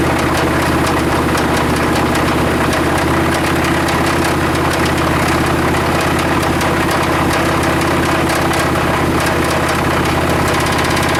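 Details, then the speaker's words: Chevrolet Suburban engine at steady idle, after replacing plugs, plug wires and rotor and a fuel/vacuum-line additive treatment: quick even ticking. Valvetrain tapping. "the uh sound is coming from this lifter I'm sorry this rocker I'm putting my point right on there I'm hearing it I don't really hear it on any of the other ones"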